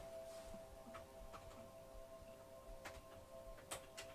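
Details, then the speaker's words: ASUS ROG Strix RTX 4090 BTF graphics card in a Z790 Maximus Hero BTF build, running a benchmark at about 600 fps: thin, steady electrical whine at a few fixed pitches with faint clicks; coil whine. "There's quite a lot of coil whine. Can you hear that, Kath? Actually, I better mute that. There we go, mute that. Yeah, there's definitely some coil whine there"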